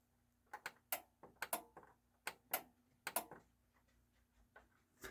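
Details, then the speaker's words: Technics SA-EX310 AV control stereo receiver (probably 1990s), thrift-store unit checked as bench test amp: crisp, dry relay clicks in small clusters as it switches from stereo to surround modes; relays switching normally. "I can verify to you that it is turning on and you can hear for the Relay click there's the big click and it does a little pretty little light show there"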